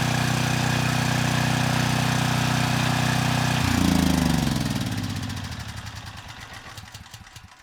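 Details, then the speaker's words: Troy-Bilt 6,000 W generator after failed burnt stator was replaced, output reaching 118 V: even, steady single-cylinder hum with no knocks or misses, then smooth coast-down on shutdown; running healthy. "That was a lot better. The voltage, it came up to 118 volts. This time, the engine didn't make any strange sounds, and I don't smell anything unusual."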